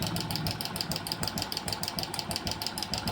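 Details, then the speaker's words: Hero Passion Pro motorcycle at idle, 15–20 days to a month after a new timing chain was fitted: light, fast, loose metallic top-end ticking about three per second; the cam chain adjuster (tensioner) was faulty, and the noise stopped when it was checked. "तो चाबी करते न दोस्तो ये तरीके की आवाज आ रही है क्योंकि अभी 15 20 दिन एक महीना हुआ है इसको टाइमिंग चन डाले हुए और ऐसी आवाज क्यों आ रही है"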